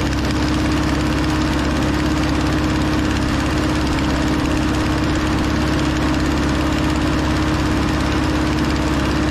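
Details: Over-80-year-old Ford 9N tractor running pretty decent after its first revival: a steady, slightly uneven idle with a raspy puffing chuff from an exhaust leak spoiling an otherwise quiet engine. Antifreeze smell makes the owner suspect a head gasket.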